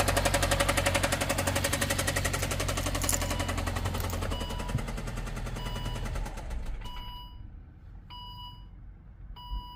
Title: Volvo Knocking sound #cars #knocking #mecanica